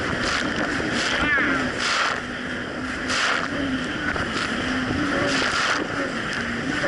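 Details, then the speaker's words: 2007 Yamaha VX Cruiser jet ski under way on choppy Lake Michigan after a $10 fix for surging, which a narrow gap probably caused: a steady, even engine drone under wind and splash with no rise and fall in revs; no surging. "but honestly the Jessie's actually running a whole lot better it's not doing the surging issue"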